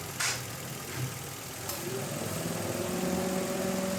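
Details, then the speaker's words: Mitsubishi Mirage G4 idling with air conditioning switched on, after new fan belt: steady even idle, no squeal or chirp from the belt; normal. "Yun, walang lumabas na ingay. Patay aircon!"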